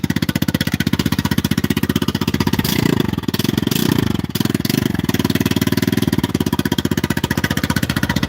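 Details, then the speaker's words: Vespa Super Sport 159 cc scooter, started early morning: steady, even putter at idle with a couple of brief throttle blips, no knocks or misses; running healthy. "That's 159 cc's of pure fury right there, guys. Listen to that beautiful purr."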